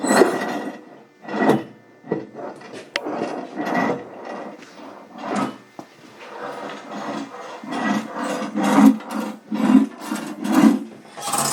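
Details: Garden shredder with its clutch broken apart, turned slowly by hand with the engine off: repeated raspy uneven grinding about once a second, identified as a dead bearing.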